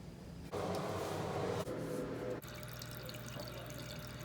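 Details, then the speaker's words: Steady rushing hiss of water flowing behind a shower wall with no pump rhythm; a shower leak reported as coming from the wall, which the plumber doubts, so the source is unconfirmed. "Your shower's leaking. They say it's coming from the shower wall. I don't believe that. You can hear the running."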